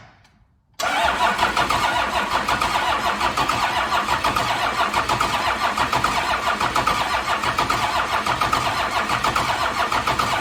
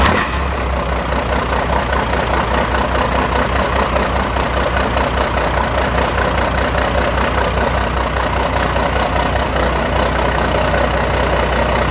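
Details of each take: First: 1992 Dodge D350 Cummins diesel, sitting about 14–15 years: steady, even cranking for about ten seconds with no firing; fuel shutdown solenoid not getting power. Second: 1992 Dodge D350 Cummins diesel after sitting about 14 years, new fuel filter primed with ATF, fuel shutdown jumped: even diesel clatter at steady idle, good oil pressure, not charging; normal running.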